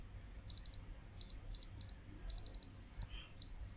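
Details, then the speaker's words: DEA K-15A 450 W full-range active speaker amplifier that powers on with no audio; meter on resistance range near a very hot resistor: short beeps then a long continuous tone, very low resistance, so the Zener diode is shorted. "we have a short there very low resistance distance and that's a Zen diode"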